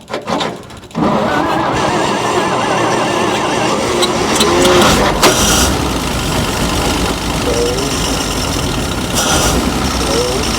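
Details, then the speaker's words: 1949 Dodge truck engine abandoned for decades, revived in the field with the heads pulled, no belts hooked up, no coolant and a locked water pump: a steady, even, quiet idle with no knocks or misses. Sounds healthy. "she idles good look at how sweet that is I don't hear no noises"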